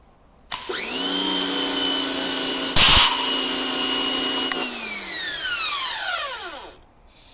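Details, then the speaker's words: Harbor Freight Portland pressure washer 63254/63255 after rebuild, water connected and primed: motor snaps up to a steady, even whine, holds smoothly, winds down cleanly when released; healthy run. "Just make sure your lock is off and it should start."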